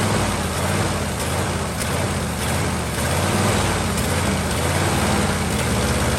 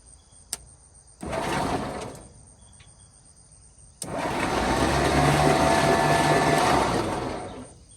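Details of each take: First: 1949 Ford truck with Thunderbird 312 V8, sat about 45 years, warm at low idle on choke: dull breathy chuff under a steady idle. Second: 1949 Ford truck with a Thunderbird V8 (owner thinks 312) that sat about 45 years, cranked after rocking free a cylinder stuck with rust: two starter bursts, steady even whirring, no binding; engine cranking freely.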